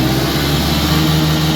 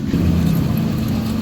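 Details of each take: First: Honda Scoopy FI after a final-drive repair with a new full gear set and replaced loose pulley axle bearings, run to test: steady, even running without whine or knock, then it winds down and stops. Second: Honda Scoopy FI scooter: steady low whine over the running drive from the final drive/axle area; gear oil changed days ago is already dirty again; axle seal to be replaced.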